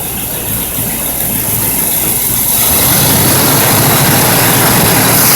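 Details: Rebuilt Pontiac 455 V8 in 1976 Trans Am, third startup after setting base timing, non-clutch fan: deep even idle building slightly, loud rushing fan noise, no clicking, ticking or knocking; normal running.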